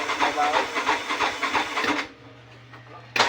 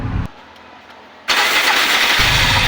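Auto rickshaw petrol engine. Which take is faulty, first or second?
first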